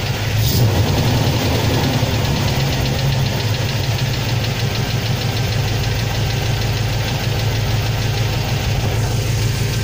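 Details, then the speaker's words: Chevrolet 350 TBI V8 with suspected collapsed valve lifters, before adding ATF (Dexron 2) to oil: loose irregular ticking about three per second, only at cold idle and on throttle lift-off. "Значит, вот такой неприятный противный звук. Значит, только на холостых, на холодную. И при сбросе газа."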